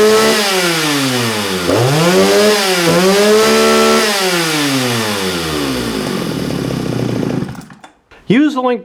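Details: Vintage Jonsereds 49SP chainsaw with a 16-inch bar: crisp two-stroke revving up and down cleanly, pitch rising and falling without stumbling, then shutting off; in great mechanical condition.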